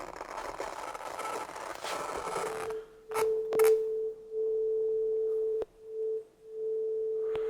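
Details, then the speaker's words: 30-year-old Soundtracs Jade 32 analog console, channel two gain pot: a test tone broken by scratchy clicks and dropouts on the first turn. It clears after a full sweep to maximum and back. "yeah the same with yeah it's a bit strange there are some inil cracking the first time you turn the knob and after you done it to the Max and go back it's like it's waking"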